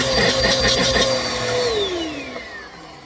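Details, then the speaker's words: Bissell PowerForce Helix 2191 vacuum, reassembled with an older Bissell hose, a cap slightly loose: steady mid-pitched motor whine, gliding smoothly down at switch-off; no rattles or grinding. "It's ready to go for use though. So yeah, that actually works pretty well now."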